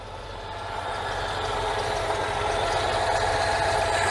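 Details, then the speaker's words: 1992 Oltcit (Romanian, Citroen-derived) petrol engine, after work on the carburettor: runs with a steady, fairly even beat building slightly in level, no stall. Engine now running following the carb fix. "okay then was that just a fluke or have i actually managed to fix it [Music] no that appears to be a running engine"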